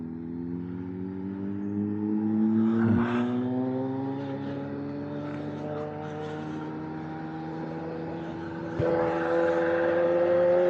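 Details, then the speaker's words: Kawasaki ZH2 supercharged motorcycle on a longer test ride: engine note climbs smoothly, dips briefly at a gear change, then pulls cleanly; strong healthy acceleration, speedometer working again. "Well, she feels awake. I'll give her that. She feels so good."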